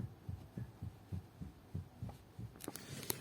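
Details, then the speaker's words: Opel Astra H steering intermediate shaft: dull low thuds about three a second as the column is shaken by hand; knock felt in the wheel over speed bumps and asphalt joints; shaft play suspected, not confirmed. "парни подскажите вот рулевой кардан до в общем и а вы дергай вот здесь и такой слышен какой глухой стук"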